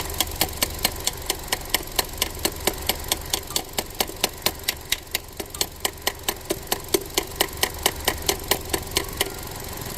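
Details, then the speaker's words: Ford Transit Connect that dies randomly, cold engine still warming up: sharp crisp ticks about twice a second over quiet idle as the weak purge valve sticks open repeatedly when it shouldn't be on; valve needs replacing. "it stays hung open over and over and over again you hear it it's spurting cu the valve is weak it's no good it needs to be replaced"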